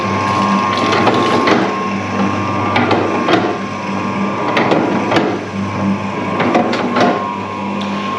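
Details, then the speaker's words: Bakery dough mixer running: heavy, uneven clunks about every two seconds over the grinding churn; the main drive shaft driving the arms has play and knocks back and forth, needing shims. "so if you can hear that terrible clunking of the um the mixer that's on my list of things to do basically the main drive in this there's a shaft that runs through and drives the arms it's got clay in it it knocks back and forward"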